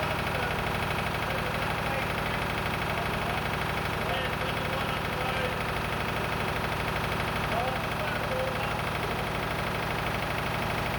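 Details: Lister emergency air-compressor diesel on the M/V Steve Irwin warming up before loading: steady, even idle thump about three beats a second, no knocks or misses; normal diesel idle during warm-up.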